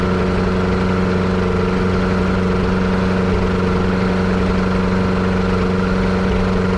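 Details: Yamaha Apex engine on a Kitfox airplane idling with an uneven, stumbling beat about four times a second under the drone; misfire, vacuum leak suspected.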